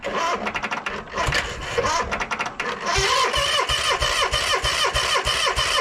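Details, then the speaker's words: 2012 Toro TimeCutter SS5000 V-twin zero-turn: lumpy, uneven running with missing beats and a ragged, stumbling exhaust. It runs on one cylinder even with a new spark plug (the old plug was oily, spark possibly weak). Owner suspects a failing ignition coil. "yep only running on one even with a different spark plug so that coil could be going out"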